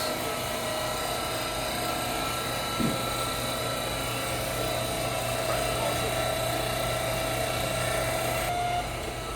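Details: Frymaster Filter Quick oil-conserving fryer with two 30-pound fry pots, during a timed quick filter (about 4 minutes): steady low hum and whir of the pump in the filter pan returning oil to the fry pot; normal operation.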